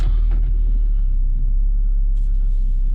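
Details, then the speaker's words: 2006 Nissan Altima that sat almost a year without a battery and wouldn't run, after new fuel pump: low, steady idle rumble with no knocks or stumbles. Normal idle. "So basically all this thing needed was a fuel pump. It lives."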